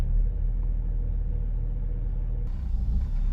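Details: BMW X5 E70 with a drivetrain malfunction warning: low, uneven idle that sags and pulses, with the tachometer bouncing and the engine nearly stalling; the cause was found to be faulty VANOS solenoids. Rough idle from faulty VANOS solenoids.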